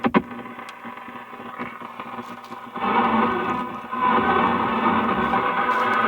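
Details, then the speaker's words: Antique Philco 46-480 AM/FM/SW radio after recap, pre-alignment, on AM at a local station: music gritty, harsh and hissy with no clean tone; badly distorted audio, volume control needs cleaning or replacement. "tone's working but you hear how terrible it sounds and the volume control definitely needs to be cleaned probably even replaced"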